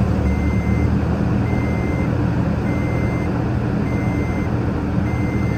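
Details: 2008 Toyota Tacoma 4.0L that died on the highway and stalled about 2 seconds after each restart, now running with the resistor in a connector jumped by a wire: steady, even idle with no stumble, reversing beeper nearby. Normal idle after the fix.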